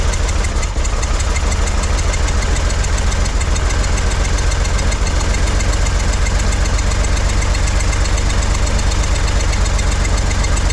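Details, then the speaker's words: 1963 Corvair engine after resyncing the carbs with chokes hooked up, rockers possibly too loose: fast, uneven knocking about four a second over a heavy low drone at idle; rough idle, cause unclear. "still not happy with that what's going on here why am I getting poofs of [Applause] stuff"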